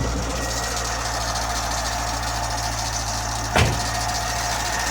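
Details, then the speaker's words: C5 Corvette LS1 V8 idling right after startup: thin, continuous high squeal over a steady idle, under the hood; source not yet pinned down. "So we're going to start the car. You're going to hear this squeal right away."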